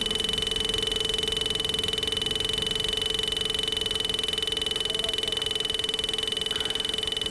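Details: Bajaj Pulsar at idle with battery OK, noise that began while riding and is not from the engine: a constant high croaking buzz with a fixed pitch, unrelated to engine speed, is the horn sounding by itself.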